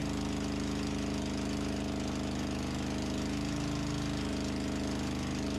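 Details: Antique farm loader, first start indoors after engine reinstall and hydraulic system repair, fuel line showing bubbles: steady, even chug with a low firing beat at constant speed, no misses or knocks; runs smoothly and sounds healthy.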